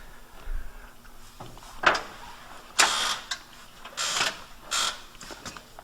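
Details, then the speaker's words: Pontiac GTO with polyurethane suspension bushings, car on the ground, stethoscope on the front upper control arm bushing on one side: short sharp squeaks and creaks in bursts as the suspension moves; dry bushing lacking grease, to be re-greased. "this all right front one on this side is definitely squeaking uh so yeah it's probably safe to assume that all of them probably need uh some kind of grease"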